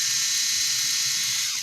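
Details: Amope Wet and Dry motorized foot file demonstrating its normal sound: a smooth, steady high-pitched whir with no clicking or catching. The unit otherwise clicks in use; a stripped gear was first suspected, and the roller head may be to blame.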